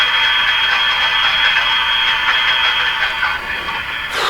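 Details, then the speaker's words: RCA Victor A23 Canadian-made tube radio, after replacing all audio-circuit capacitors, on AM band: rattly, gravelly buzz riding on louder lower tones of voices; speaker likely shot. "so what I'm hearing in there is a bit of a rattle gravelly sound if it kind of comes along with the course the louder lower tones in the person's voice"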